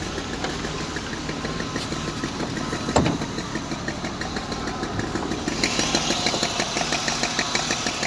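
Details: BMW E34 520i at idle: uneven light knocking about three taps a second with no clear pattern; owner unsure of the source; internal engine knock, undetermined.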